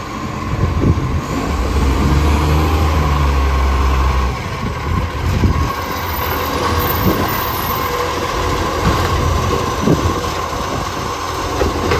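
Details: Mitchell garbage truck 1040, loud diesel idle: raspy, uneven puffing chuff about four per second over the rumble; exhaust leak.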